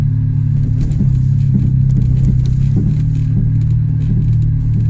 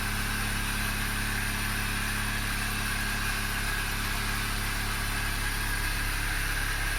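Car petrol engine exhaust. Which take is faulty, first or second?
first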